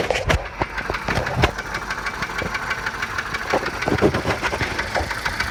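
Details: 1987 Volvo 740 Turbo at rough idle, running on three spark plugs because of a faulty plug wire: sharp, repeating lower-end knock, louder at the oil pan than the valve cover; a shop said piston slap, owner doubts it.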